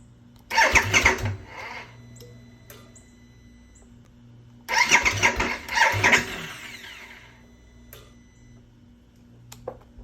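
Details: 2022 Harley-Davidson Nightster bought mid-June, no-start since July: two short one-second cranks, engine never catches. Dealers unsure of cause; pulling the main fuse and clearing ECM/ABS codes reportedly gets it running, but warranty damage is feared.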